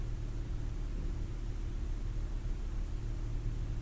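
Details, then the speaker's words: 2009 Ford Fiesta Mk7 1.25 petrol after replacing spark plugs to cure a misfire (earlier missing at 1500–2000 rpm): cold-start high idle dropping back to normal idle, low smooth even rumble without stumbles; normal idle. "she's still on cold start now because the idle is high it should if we leave it idle it'll then drop slightly so the idols now coming back down"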